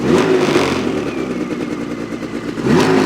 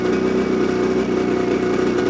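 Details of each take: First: New 2026 Ski-Doo MXZ 600 EFI Sport two-stroke snowmobile with electronic oil pump, still in break-in: revs up twice, and a faint high thin whistle rises with each rev over the engine buzz; source unknown. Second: Brand-new 2026 Ski-Doo MXZ 600 EFI Sport snowmobile, 2 miles on the dash, in break-in mode, just fired up: crisp, even two-stroke burble at a steady fast idle, no misses or knocks; quiet, idling normally.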